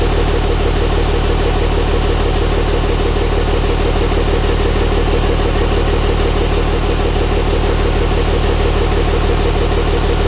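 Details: Hybrid 5.9/6.7 Cummins diesel swap, first start-up after the build. Steady idle with an even quick tick of about three per second from the top, toward the front valve cover; builders suspect loose valve lash, not confirmed.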